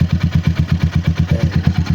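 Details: RC250 with 34,000 on the clock that won't start on push button, started by jumping the starter relay, original battery: even, steady idle thump about eight beats a second, no misses or knocks; idling smoothly.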